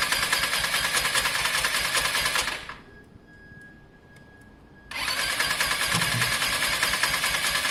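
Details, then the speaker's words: Lexmoto Diablo 125cc moped engine running rough and uneven with a harsh hiss, briefly cutting out then picking up; crankcase pressure builds and spits from the open breather where a pipe normally runs; owner earlier feared tampered valves. "there's a big buildup of pressure in the case in the housing what we're getting guys here is a big pressure so we're getting a spit from here once the pressure builds up in here um you normally have a pipe running there"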